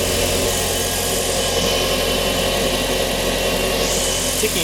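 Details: Mitsubishi Lancer Evo 9 turbo four idling steady after fitting an intercooler pipe kit, with a light, quick normal injector tick on top; nothing else stands out, a healthy idle.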